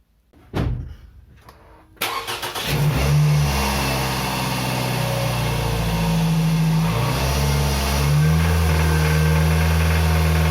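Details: Toyota RAV4 2.0 1AZ-FE petrol, 228,000 km, held at 2,200 rpm; deep knock under the drone, not heard at idle, persisted after timing chain and camshaft replacement; suspected connecting rod bearing, not yet confirmed.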